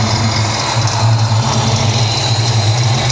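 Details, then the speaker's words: Supercharged Mustang idling: steady rumble with thin airy hiss from a vacuum/boost leak at a broken 70 mm throttle body; hiss stops when covered, belt checked fine; throttle body to be replaced. "And I know you're hearing that noise, that hissing. You're probably thinking, that's a pulley. It's coming from here."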